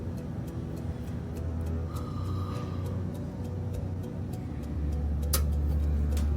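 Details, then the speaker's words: Fast, even ticking about three times a second over a low fan hum as an electric duct heater clicks on and off and won't stay on; controller not reading CFM, another airline hose suspected off its port. "hear that clicking the heat doesn't stay on suspecting another airline hose is off its port and it can't really read flow"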